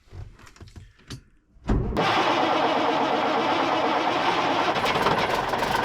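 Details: Cummins Big CAM IV diesel, cold start at -6 °C not plugged in; a few quiet clicks, catches right away and settles into a steady even rumble, a healthy cold start.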